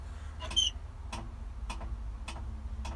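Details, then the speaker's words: 7.3 IDI diesel in 1976 Ford truck, cold start via button: sharp even clicks about every half second, suspected to be the glow plug relay cycling instead of holding, then stops and engine won't fire. "hear that clicking all right apparently it's not supposed to be doing that so I'll show you what happens wait till it quickly stops see it doesn't fire now"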